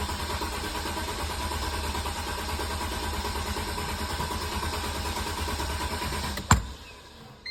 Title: and she keeps trying, pumping and cranking and no start but she won’t give up easily